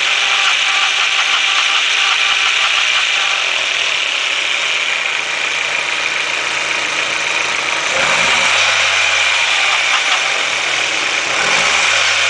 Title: 1.8T engine rattle sound